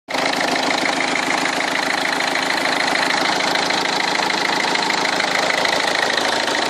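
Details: Abnormal engine noise at idle: a sharp, even ticking of about three beats a second over a bright idle; source not pinned down.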